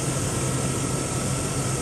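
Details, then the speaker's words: 2001 Chevy Silverado 5.3 V8 after the alternator was replaced, charging at about 13 V: steady, even low hum with a faint belt whine and no misses or knocks; the idle is better, possibly the low battery was the cause; normal idle. "pretty good now you can hear that the idle's doing a lot better maybe it was just the battery being so low"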